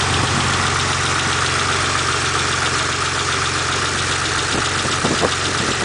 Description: 91 GTO, possible lifter tick or something worse?